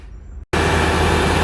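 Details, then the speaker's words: Chevy 6.6L diesel (Silverado/Express) running after A/C compressor clutch replacement: steady, smooth drone with compressor engaged, no knocks or squeals, pressures normal. "all right guys so everything is good this is working as you should"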